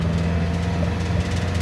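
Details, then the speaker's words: Nissan X-Trail T30 automatic in D at 3,000 rpm, steady strained high-rev drone with no upshift drop; stuck in first gear. Engine light currently off; when active, engine won't rev past 2,500 rpm. "oke tidak mauoverer lagi tingi satu terus ya teman-teman ini 3.000 RPM tidak mau pindah sama sekali"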